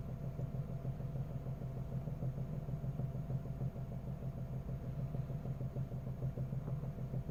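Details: Cold engine at morning start-up, heard only from inside the cabin, not with the hood up: a steady idle with a faint rapid tapping over the low rumble; an unexplained knock that disappears once the engine warms.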